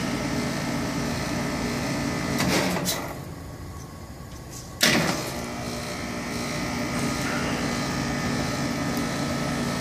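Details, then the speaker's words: Home heat pump outdoor unit running all night, house at 61°F in the morning: steady humming whir broken about every ten seconds by a dip and a sharp clunk. "okay this is what it's doing its 61° in the house this morning my daughter's has been doing this all night because it's outside her bedroom window"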